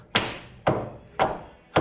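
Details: Ford Sierra Coupe Turbo with swapped BMW E39 rear subframe, persistent rear-end clunk: four dull thuds as the subframe is shoved by hand; worn silent-block bushings suspected, not confirmed.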